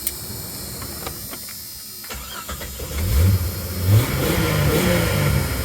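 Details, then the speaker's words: 1996 Jeep Cherokee XJ just after installing a throttle body spacer: engine catches after a short crank, then settles into an even idle with clean throttle blips; runs healthy, seemingly a little better. "oh sounds like she runs a little better"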